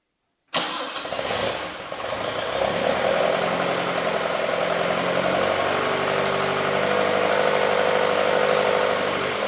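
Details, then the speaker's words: 1967 Alfa Romeo Duetto Spider 1600 freshly rebuilt engine, first start after 30 years: it catches and settles into a steady idle with a light fast ticking from the cooling fan touching its shroud; fuel pressure too high. "you can hear a slight ticking noise which is the cooling fan just touching the shroud which is no big deal well at least not for now"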